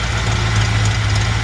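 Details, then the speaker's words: 1955 Ford F100, hood open, engine running: low, even V8 burble with a steady beat and no knock or tick; healthy idle, perhaps set a touch high; normal idle. "it's a really nice healthy sounding engine idle sounds like it might just be a touch High"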